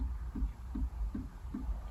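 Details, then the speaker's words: 1999 Honda Odyssey: soft, steady clicking about 2.5 per second from a relay inside the under-dash fuse box, felt by hand; it is suspected to be trying to engage the rear defroster, which doesn't work. HVAC control lights blink and blend doors don't move. "all right so that clicking sound is coming from this fuse box down here I can feel it clicking so there must be a relay inside of this somehow"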